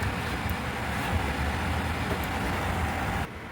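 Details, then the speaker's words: Hens portable air conditioner, found discarded, running with cooled evaporator; a steady even hum and smooth airflow with no knocks or rattles, then cutting off; working normally. "Okay, está trabajando bien."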